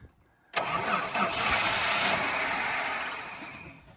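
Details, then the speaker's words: Free donor ute with Chrysler 215 Hemi six, three-on-the-tree, fuel poured in: starter whirs, engine catches briefly then fades within seconds as key released; owner suspects ignition feed, plans direct power to coil. "Probably just going to run power straight to the coil. Because it does this weird crank and start non-running."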